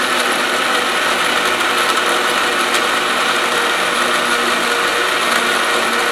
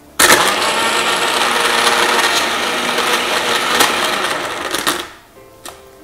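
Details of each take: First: Blender making a vanilla shake with ice and water, after repeated blending: steady, even high-pitched whir with no ice clicking, then the motor switches off; the ice is blended and it runs smoothly. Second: Blender making a vanilla shake with ice and about 250 ml water: loud whirring with irregular rattling clicks from ice chunks hitting the blades, so the ice isn't fully crushed; blending may need up to three rounds until clicking stops.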